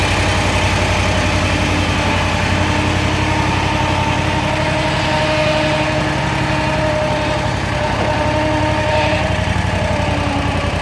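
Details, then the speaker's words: Kawasaki FX801V V-twin on a Kubota zero-turn mower, 400 hours, just after valve adjustment, cold start: busy light ticking about four per second over a lumpy idle, more noticeable at idle or low speed; valvetrain clatter, cause uncertain. "now to be it just sounds like an awful lot of chatter but let's give her a quick rub so to me it almost sounds more noticeable at idle or low speed"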